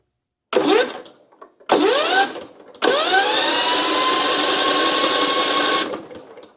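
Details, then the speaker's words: 20+ year old John Deere L110 lawn tractor, cranked with spark plug removed: three quick, smooth, fast cranking bursts with no compression drag; engine spins freely, cylinder dry, no oil blowing out. "So, that's turning over pretty good. I'm feeling inside of there. Yeah, it's dry."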